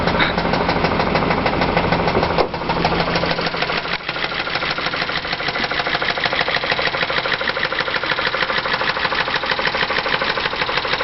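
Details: 2001 Chrysler Concorde with the 2.7 V6 at 108,000 miles, at idle: a hard, even knock about three per second. Engine knock from oil sludge, a known 2.7 design flaw; the engine is to be swapped for a 3.3.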